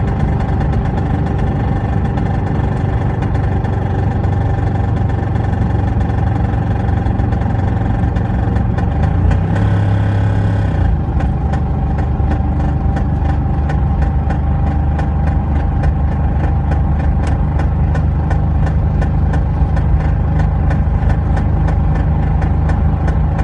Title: P38 v8 4.6 loud noise when driving along. 2k revs and above. Under load.